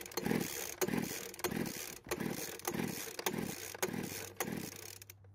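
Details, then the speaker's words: Poulan Pro blower vac engine with worn rings, engine previously stuck, pull-cord compression test with oil added to cylinder: about 135 psi versus almost 100 psi dry. Slow uneven strokes about two per second, firm compression push; improved compression. "with the oil in the cylinder we now get a reading of about 135 psi which is much better than before"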